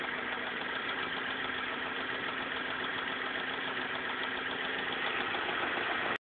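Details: Busy, even idle of a BMW M42 four-cylinder with a steady buzzy tone and faint ticking texture over it; abnormal noise at idle, cause unclear.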